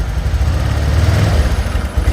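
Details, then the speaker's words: Honda Vario 125 (first KZR series) after engine rebuild, idle then gentle throttle: low, uneven burbling that surges and sags, stumbling at low rpm but fine at full throttle; injector, TPS or fuel pump suspected as cause. "Tapi bawahannya kalau gasnya ditarik tuh berebet berebet berebet berebet. Nah, gitu. Biasalah penyakit Vario 125 ya suka kayak gitu ya."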